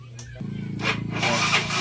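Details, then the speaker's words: Yamaha Mio Sporty scooter that would not start, after spark plug and plug cap fitted, fault traced to fuse box; brief whir then starts on one press into a steady, even idle with no misses. "Ayun oh. So one click lang po yung ating start mga boss."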